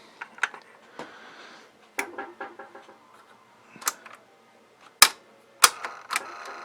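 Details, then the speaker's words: Cassette deck in a Pioneer RX-530 receiver: irregular sharp clacks and clicks with no motor or tape hum, spindle not spinning because the drive belt is off. Cassette deck drive belt off. "you hear that sound and if this is not spinning the belt could be on off at the back"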